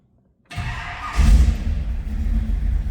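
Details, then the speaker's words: 1951 Chevrolet Deluxe Tin Woody wagon restomod with a 383 stroker V8 (425 hp), cold start: catches right away and settles into a deep, steady, even rumble. Healthy cold-start idle. "Again, 383 stroker, 425 horse, and it sounds healthy."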